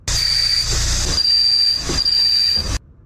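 A thin, steady high-pitched squeal over hiss and a low rumble, typical of a worn clutch release bearing.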